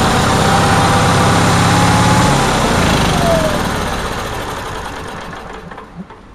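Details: Onan generator, cold day, after a fuel pump voltage fix, with a loose connection affecting restarts: holds a fast, high-pitched idle for a couple of seconds, then winds down and stops. The owner says it idles too high.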